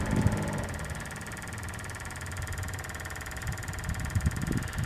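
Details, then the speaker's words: Diesel truck after a fuel filter change, tank freshly filled. A steady electric fuel lift pump buzz under a low engine-bay rumble. The pump runs but delivers no fuel to the bleeder at the top; the cause is unknown. "still pumps are pumping no fuel at the top I don't know if it was working before"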